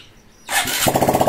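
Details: Honda XRM 125 Fi needing engine refresh, hard starting and won't idle: after a quiet pause the small engine catches with quick, uneven putters around eight a second, struggling to hold idle; cause not confirmed.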